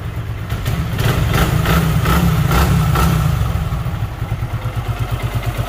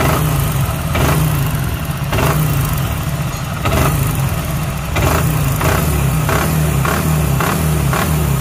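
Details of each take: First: Super Splendor motorcycle, delivered to the customer: brief throttle blip, then steady, even single-cylinder idle beat, no knock; smooth, normal idle. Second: Super Splendor single-cylinder motorcycle engine, low compression, after earlier work by another mechanic: heavy hammer-like knock from worn crank and connecting rod bearings.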